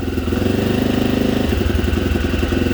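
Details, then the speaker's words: Cold 1987 Honda XL250R RFVC single, all original barn find, starts after years of sitting; even quiet idle with light baby revs, steady firing, no knocks or rattles, quieter than usual for these engines; normal idle. "sounds really good the engine's so quiet normally they're a lot noisier sounds great listen to that wow sounds so good"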